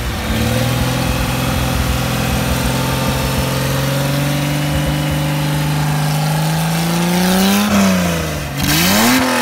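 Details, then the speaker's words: Mercedes-Benz 300SL engine on test after re-jetting, not yet installed in the car or under load: steady even idle, then crisp snappy blips with a nice ripping exhaust sound at RPM, climbing and dropping cleanly; healthy idle and rev. "Very nice. That sounded really crisp. I think we that's got a nice kind of a ripping sound of the exhaust at RPM."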